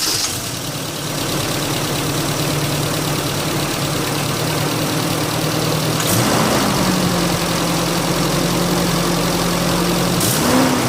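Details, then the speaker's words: 2020 Holden Rodeo 2.6 after MAF clean and idle gap adjustment to cure a stumbling engine: even, steady idle, pitch lifts slightly then holds smooth with no stumble or misfire; appears fixed, normal idle. "At this stage it does seem to be fixed."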